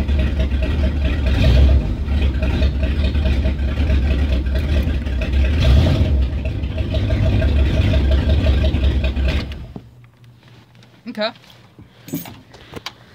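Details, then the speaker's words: After repair of a 360 (5.9 L) V8 that had idled rough and high: a PCV vacuum leak was fixed with a tee adapter, a capped port and the return hose reattached. Smooth, steady idle with no hiss or hunting, then the engine shuts off. "with it idols way better no more vacuum leaks"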